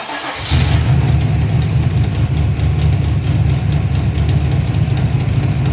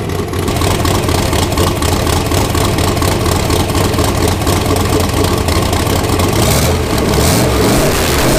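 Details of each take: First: Turbo V8 street car with Black Widow muffler; deep heavy idle with light fast ticking over the rumble from leaky header V-band clamps, still leaking after tightening. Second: 331 ci small block Ford, AFR aluminum heads, Quicktime turbo kit with eBay 7875 turbo, first run of muffler test before fitting exhaust; loud choppy cam idle rising into strong even revs, no ticking or leak hiss. Healthy.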